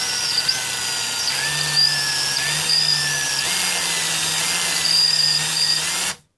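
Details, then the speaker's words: Circa-1995 Milwaukee 0435-1 12V cordless drill run on a 14V M14 lithium battery through an adaptor; the selector switch is broken. Full speed works, but at part trigger the whine jumps up then dies down: a faulty trigger, later replaced. "It seems to not, seems to be something wrong with the trigger. We'll run it the other direction. Full bore seems to work properly, but the in-betweens, it seems to jump up and then kind of die down."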